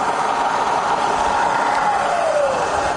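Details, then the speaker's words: Rebuilt Bridgeport Vari-Speed milling machine spindle back in high range. An even, steady high whine with no knocks or grinding, easing down in pitch at the end. The spindle runs normally. "Okay, back to high range. I've checked it in. Fire it up again, we're all fine."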